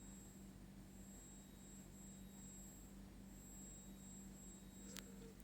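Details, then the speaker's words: Brand-new Tecware Phantom 96 mechanical keyboard gives a faint, constant hum with a thin high whine whenever its LEDs are lit, loudest around the D key; the owner suspects an LED power chip. "after unboxing here we are buzzing noise from the keyboard I think it's from the LED light because the Sun is heard when the ladies light up"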